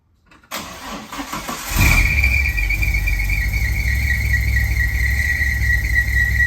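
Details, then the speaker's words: Ford TE Cortina just fitted with a new carburetor, first start: a loud steady high squeal over the idle from the front. The loose fan belt was tightened, which cured it. "Obviously there's a wild squeal going from here, maybe just a fan belt. I'll address that."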